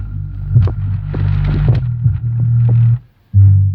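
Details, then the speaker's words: Electro-Voice ELX118P powered subwoofer after repair of no power and low/intermittent sound (power supply fixed, bad cable connection found as the cause of low sound; swollen capacitors noted): deep, clean, steady bass with no hum, crackle or dropouts; normal playback. "Yeah, it works."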